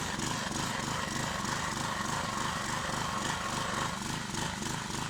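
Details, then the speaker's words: 20-ton Clarke Log Buster splitter that sat outside 12 years, after carburetor replacement and a replacement engine: small petrol engine holds a steady, even beat through the splitting stroke on bigger logs with no bogging; healthy under load. "I split a few logs so far it's splitting much bigger logs than it was last time and does not seem to bog down and die on me like it was doing"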